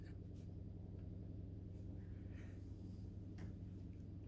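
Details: Household plumbing that has been making noise for a couple of days, with vibration felt on the pipe. There is a steady low drone with uneven pulsing that gets loud when a tap is opened slightly and stops with the kitchen cold water at full blast. The cause is unknown.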